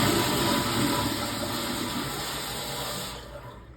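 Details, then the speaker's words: Sloan flushometer toilet in an outpatient surgery center guest restroom, reported running: strong rush of water for about three seconds, then tapers and shuts off cleanly with no trickle; normal flush cycle. "Yeah, I hear the toilet running. That nothing. It's a good sign when it stops."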